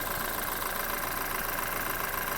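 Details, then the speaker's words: 2012 BMW 528i F10 N20 engine, 120K miles, running Liqui Moly oil: steady even idle with a light whir (owner suspects turbo), no rattle or knocking; BMW technician said this timing chain sound is normal. "so I was told by a BMW technician in South Florida at Miami I was told this is normal"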